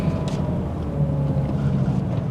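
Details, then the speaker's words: Range Rover Evoque at a steady cruise: a low road and engine rumble with no whine, hum or grinding rising with speed. There is no wheel bearing or drivetrain noise, and it sounds quite refined. "there's no wheel bearing noise or drivetrain noise it's all quite quite refined really"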